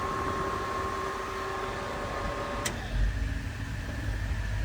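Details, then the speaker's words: 1977 Ford F-100, Frigi King under-dash AC set to coldest on high (speed 3): steady rushing airflow with a faint even motor tone and no rattles or scraping; the blower works well. "High is where you're going to want to have it. Pumps out plenty of air, as you can hear. And just such a cool unit."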